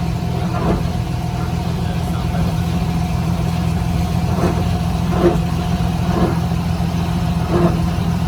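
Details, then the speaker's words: GMC Sierra on lift, rear axle leaking fluid: low steady driveline drone with irregular dull clunks every second or two; front pinion bearing failed, yoke lifting and hitting the casing, whole rear axle swapped. "It's probably that the bearing in the front's just gone, and you can tear these rear ends apart and replace all that stuff"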